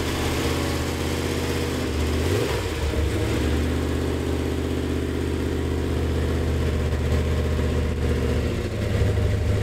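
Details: Freshly built budget GM Gen VI L29 454 big-block on an engine stand with headers and carb, factory ZZ502 hydraulic roller cam on 110 lobe separation: deep loping idle, a quick rev blip, settles to an even choppy beat; healthy.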